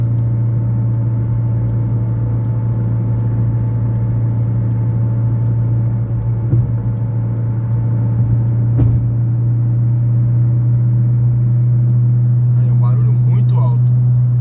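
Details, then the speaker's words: 2011/2012 Fiat Uno Way at highway cruise above 100 km/h in gear: loud whistle rising in pitch over road roar, stopping when the clutch is pressed; several parts already replaced, cause unknown. "Ó, chegar no 100, ó, ele engatado, ó o barulho, ó, aumentando, ó, a altura. Eu não sei que barulho que é esse. Se eu pisar o pé na embreagem aqui, ó, o barulho para. Mas esse barulho só faz acima de 100 por hora."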